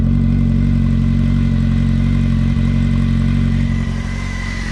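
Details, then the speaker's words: Honda Hornet 600 four-cylinder motorcycle after service and idle adjustment: smooth, even idle with steady low hum, no rustling or knocking; runs healthy. "równiutko idzie Nie ma co udało się go ustawić dość fajnie nie szeleści nie stuka"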